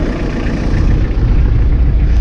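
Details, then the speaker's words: 1991 Toyota LiteAce 4x4 Limited, right-hand drive turbo diesel, started after glow-plug warm-up: deep, even diesel rumble at idle with no knocks, misses or rattles; starts right up and sounds healthy. "wow ace sounds really good another thing i don't mind getting it i don't need"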